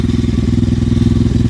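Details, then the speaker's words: 125cc Apollo RFZ dirt bike, long unused, running after spark plug wire-brushed and kicked with choke on: quick, even single-cylinder thumping, no misses or popping; runs smoothly. "now I got it running."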